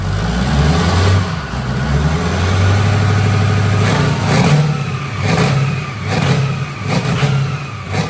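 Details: Newly built diesel engine in a mega mud truck on its first startup. A deep, steady diesel rumble swells and settles as the truck pulls away under load, with no knock or misfire; normal running.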